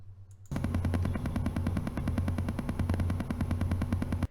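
A rapid, regular chattering buzz of about three pulses a second rides over a low hum: interference noise coming through the speaker. Cause suspected, not confirmed.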